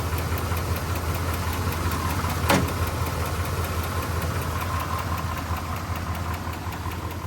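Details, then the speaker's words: 1985 Dodge Ram D150 Prospector, 318 V8, 70,000 miles on the odometer, after a disconnected plug was reconnected to restore power: low, even idle rumble with no misses or hunting; it idles smoothly. "Dumped it and got power going to that supply. Look at that, running like a kitten."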